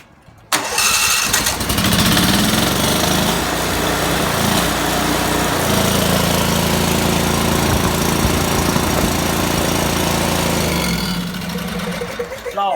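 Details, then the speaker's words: Briggs & Stratton Vanguard twin cutting in and out, running on one cylinder at times: uneven, lumpy misfire from a bad ignition coil, later replaced with a used coil. "got a bad coil so I went out in the junkyard and I found another coil for this Vanguard"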